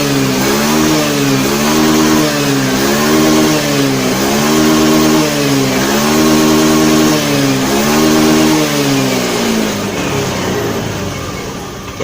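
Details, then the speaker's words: Honda Beat FI scooter after fixing hesitation on snap throttle traced to the throttle position sensor, ECU reset; revs up and down smoothly in even repeated blips, picking up cleanly each time; running normally. "ya enggak ada kendala Oke jadi permasalahannya di motor Beat ini ada di bagian sensor TPS ya teman-teman ya"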